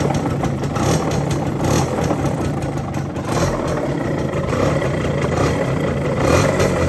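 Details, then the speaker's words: Yamaha F1ZR not run for a long time, loud rough gravelly rumble at idle; owner blamed the clutch housing, but the noise comes from a crankshaft bearing housing worn loose, letting the crank shift back and forth. "Berisik banget suara grok. Ya bukan dari rumah kopling ya guys suara berisiknya."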